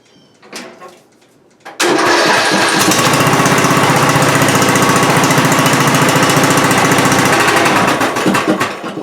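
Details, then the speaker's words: Riding mower with choke return spring added, started and shifted into reverse with brake applied; runs fast and steady, then bogs and dies; stalls in reverse, owner suspects clutch or brake safety switch, shifter safety already checked and seemed OK. "now that tells me that it's the safety on but it is the clutch safety or brake safety"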